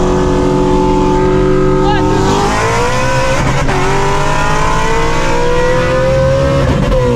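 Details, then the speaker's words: 900HP Shelby GT350 (S550 Mustang), stock clutch after drag runs: engine revs flare ahead of pull in second and third gear with resistance shifting; clutch slipping under load, clutch destroyed. "You can hear it slipping in second gear and third gear."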